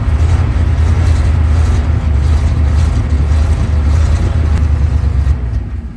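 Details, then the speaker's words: Ural military truck cold-starting at -8°C after standing six months, petrol poured into the cylinders through the air filter. A deep churning rumble turns over but never catches cleanly. It is starved of fuel because fuel won't come up the lines. "Well, we know now that it's not it's not getting enough fuel. Let's try pumping it a bit and see if it helps."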